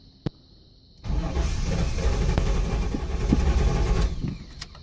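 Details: 1983 Buick LeSabre wagon with swapped LT1 V8, first start, no serpentine belt, near-empty tank: quick crank, catches and runs roughly three seconds then cuts out; fuel cut by faulty anti-theft bypass module.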